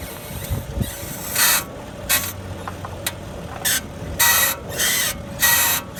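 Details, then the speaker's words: 2011 BMW 535i, passenger/right-side lower control arm: harsh, raspy squeaks in uneven bursts as the steering wheel is turned with the car stationary. The squeak is also faintly heard when the car is sat on. "what it's doing it squeaking real bad let's see if you can hear it when I sit on it you can barely hear that okay I'm gonna set the camera here and I'm gonna turn the wheel"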